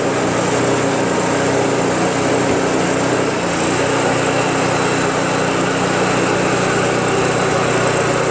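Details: Craftsman Trac Plus 23" dual-stage snowblower, 5HP Tecumseh engine, first cold start after a year's storage with no stabilizer (tank found empty, fresh gas added, full choke): steady even buzz, no misses or knocks; starts and idles well.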